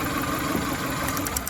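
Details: 2000 Toyota Camry four-cylinder at idle with code P0303: uneven, lumpy idle with irregular stumble, cylinder 3 dead; injector suspected, tested by swapping injectors 3 and 1.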